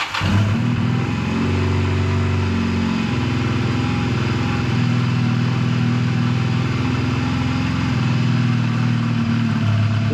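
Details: 2001 Honda Rebel motorcycle, tired but runs well, cold start with choke fully on, in neutral: fires right up and settles into a steady, even low thump with a slightly fast choke idle; normal cold idle.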